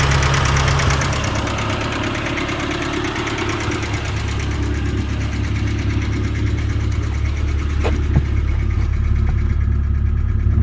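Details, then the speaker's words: 1990 Ford Festiva that sat a long time, with a new fuel pump, engine flush, cleaned cam oil passages, new lash adjusters and rod bearings: fast, light tick of about three per second, seemingly near the valve cover, at idle, louder with the oil cap off. Top-end tick, cause unconfirmed. "so definitely sounds like a top end tick to me and it does seem to get louder with the oil cap off to me it sounds like it's right in there"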